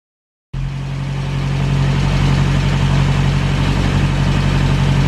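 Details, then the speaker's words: 1937 Morris 8 918cc pre-war engine being recommissioned, short test run after fuel and ignition checks, smoke blowing through: starts from silence and settles into a steady, even low chug at idle with no knocks or misfires; running normally. "but i think in terms of will it run i think it will"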